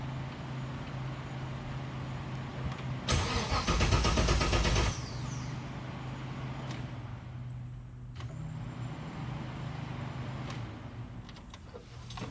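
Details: LS3-swapped Miata cranks about two seconds without catching, then a faint fuel pump hum; voltage reaches pump but gauge at Schrader valve shows no fuel pressure; regulator failure suspected; crank no-start.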